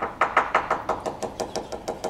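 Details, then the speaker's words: Hammer tap test along a yacht's fiberglass hull with thick gelcoat: crisp taps turn to a hollow, lingering secondary reverberation against the gelcoat layer, then return to normal tone, revealing a completely delaminated patch below the tape line. "you can hear here the fiberglass reverberating against the Jael coat layer inside it's like a secondary reverberation when it gets worse down to here back up normal tone completely completely delaminated"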